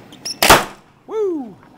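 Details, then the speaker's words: HHO torch flame burning from a small tube manifold with .030" holes: one sharp loud pop then a short falling whistle as the flame flashes back into the line, likely from air flow turned down too low; flashback pop. "that time it popped all right so I must have had my flow on the air turned down a little bit more that time"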